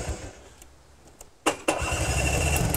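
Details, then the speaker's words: Recently bought two-stroke Vespa scooter with starting problems and suspicious rattling, fired on electric start: starter whirr, then engine runs lumpy and uneven with light rattle and much exhaust smoke; rough running, cause not yet pinned down. "oh I see what you mean yeah yeah that's a little bit roughly yeah now there's quite a lot of smoke coming out of there"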